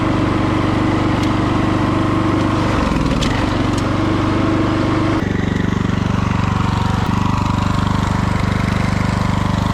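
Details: Revived free lawn tractor, mower deck removed, test drive: steady, even engine drone dropping and picking back up with throttle and load, no misses or knocks; runs and drives well, normal running.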